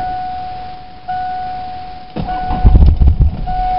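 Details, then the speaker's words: 1987 Ford Escort diesel, cold start at about 30 °F: steady mid-pitched whine cutting in and out over uneven clunks and rumble; the heater blower motor is whining in the cold. "Oh, that's what that noise is. It's a blower motor. It's too cold for it."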